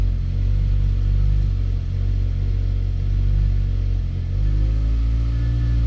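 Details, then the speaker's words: 2014 Mazda 3 engine misfiring on cold startup, then going away (warranty claim inspection): deep steady idle rumble with a couple of brief stumbles and dips in the beat; misfires triggered on startup only. "Alright, looks like all those are pretty much triggered on startup, and then it went away."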